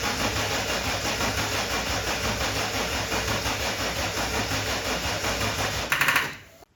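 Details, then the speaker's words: RB30 turbo converted VN Commodore, cranking after wiring, turbo oil line off checking oil flow, no spark plugs fitted: six seconds of steady cranking, no firing; cranks but won't start. "today, I'm just going to crank it over with that turbo oil line off, and we'll see whether that's got some oil under it. If it does, then we can continue trying to start it, hopefully."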